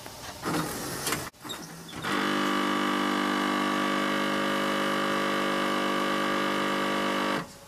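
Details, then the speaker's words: 1997 Pontiac Firebird pop-up headlights cycling on key fob lock/unlock: rough, buzzing mechanical grinding whir for about five seconds, then stops; stripped gear in the headlight motor, fixed with a repair kit. "the headlights pop up and close and they do the infamous grinding sound so which could be demonstrated here"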